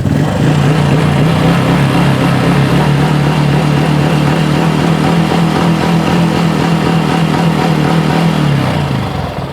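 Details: Honda Wave 110i after replacing a bearing that had bound tight because the camshaft bore was machined oversize (S4 cam fitted in S3 head); even, steady idle, much quieter, no tapping or knock, then shuts off; normal idle.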